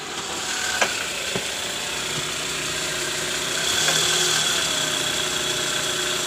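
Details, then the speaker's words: Toyota Alphard 2AZ-FE after repairing the worn balancer shaft, whose no. 1 gear was loose: a quiet, smooth idle heard from underneath with no knock or harsh rattle. The rough engine noise is cured. "Oke Guys sekarang bunyi mesinnya udah halus ya jadi terbukti bahwa yang menyebabkan bunyi kasar di area mesin pada kasus Kali ini yaitu dari balancer shaft Kondisinya sudah oblak"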